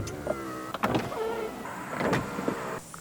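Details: 2005 Toyota Camry used-car inspection, window switches tested on each door: short bursts of steady motor whir with clean stops and no grinding or binding; the power window motors work normally.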